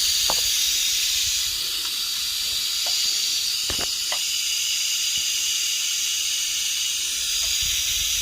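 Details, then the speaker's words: 3" Fowler engine cylinder air-tested with an airline over the valve after running rough on one stroke; loud continuous rhythmless hiss from the exhaust side; air leaking past the piston, to be cleaned and filled with Araldite. "Um, however, when I connect the airline instantly, you can hear quite a bad leak coming through."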